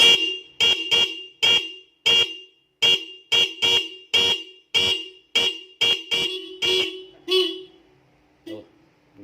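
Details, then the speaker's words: Motorcycle stock horn and an added horn, likened to an Avanza aftermarket horn: a dozen sharp blasts at a steady bright two-note pitch, clean and strong; normal dual-tone horn. "Mantep kan suaranya, bro? Kayak ya mirip Avanza KW gitu, maksudnya seklaksonnya klakson KW, bukan Avanza-nya yang KW."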